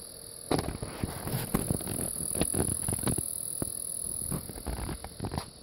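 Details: TriCaster Mini, about 5 months old, making uneven sharp ticks and clicks over a quiet fan hum, as if something is catching the fan blades; started two or three weeks ago, cause unconfirmed.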